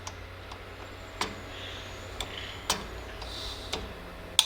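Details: 2005 Toyota Tacoma 4WD rear drum brake adjuster star wheel clicked 2–3 notches after new shoes fitted: sharp, separate clicks half a second to a second apart, taking up shoe clearance, which sets pedal travel and parking brake.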